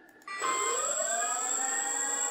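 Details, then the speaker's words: ArduPlane quadplane VTOL lift motor B tested at default 5% throttle: clean whine sweeping up then settling to a steady even pitch, similar sound and rpm to motor A, correct direction, no rattle; normal motor spin-up. "we're getting a similar sounding noise so it sounds like they're doing the correct rpm we don't have any indifferences so far we don't have motor starting and motors not starting"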